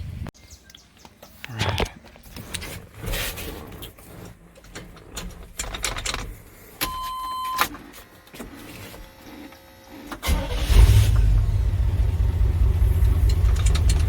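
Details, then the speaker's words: 1988 Chevy K2500 long parked, converted from fuel injection to a rebuilt Edelbrock 650 carb with a new starter, cranked on residual fuel while the system primes: quiet clicks and brief cranking, then the V8 catches and settles into a steady low rumble, with no leaks seen. "so now we're gonna try to crank it's gonna be a while cranking to get it to run enough fuel up to the to the engine but there's some residual sitting up front still so it should fire up"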